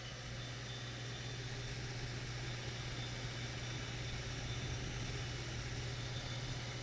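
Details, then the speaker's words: 1990s Capehart 40-pint dehumidifier after deep coil cleaning with Nu-Brite, compressor running: low steady constant-pitch hum, no knocking or rattle, quiet enough not to need the TV turned up; smooth, healthy compressor. "this thing this thing is quiet very quiet i don't have to turn the tv up loud to try to hear it while that thing is running"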